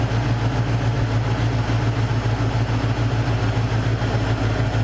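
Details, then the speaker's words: Cougar engine after repairing a major misfire: steady, even low idle with smooth unbroken beat, no misfires or popping; exhaust smells better, misfire gone. "idle goes down i don't hear any misfires i don't hear any popping hey that's a thumbs up for me"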